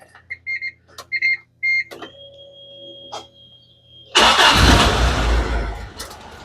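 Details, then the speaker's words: Isuzu Amigo project after cleaning a filthy mass airflow sensor (earlier run with starter fluid): a few clicks and chimes, then cranks and catches at once, settling into steady run; normal start. "Okay, starts right up, but we had it starting up pretty before."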